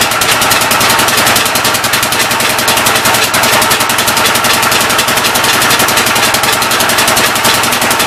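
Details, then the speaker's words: Old engine's first start attempt on a temporary coil ignition: rapid, hard popping with a hissy chuff on each stroke, puffing back through the intake. The intake valve appears to be leaking but is not hanging open; the owner plans to pull the head and lap the valves. "oh no boys intake valve seems like it's leaking pretty good um it's not hanging open up here"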